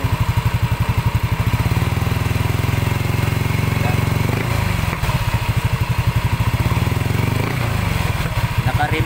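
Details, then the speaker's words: Yamaha NMAX 155 with a remapped ECU, after repairing a noisy-engine complaint. Low, regular putt-putt idle with evenly spaced firing pulses and no top-end ticking or rattle. Final check shows the noise is gone. "naman Medyo Tama na yung idol basin siguro natin i-adjust ba yan napakaganda iga agad ang unit ay naka remap tama lang yung idol natin"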